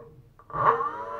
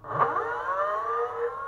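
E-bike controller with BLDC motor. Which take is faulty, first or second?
first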